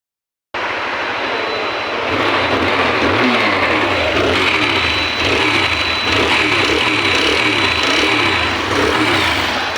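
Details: TVS Apache motorcycle engine: rough running with a regular low thrashing pulse, about two or three per second, over a clattery top end; sounds like cylinder noise but the cause is the camshaft.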